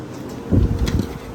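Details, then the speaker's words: Vintage Westinghouse 10,000 BTU wall/window air conditioner, owner guesses circa 1975, bought used, running before shutdown: steady low hum from fan and compressor, even with no rattles or knocks; normal running, unit sounds healthy. "shut this off here there you have it westinghouse 10 000 btu wall ac window ac"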